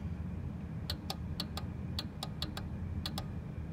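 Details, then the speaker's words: Industrial elevator control cabinet, stop button operated; crisp separate relay/contactor clicks over low hum, switching cleanly: normal relay clicking. "Rồi le đánh cạch cạch các bạn nghe không? Đó."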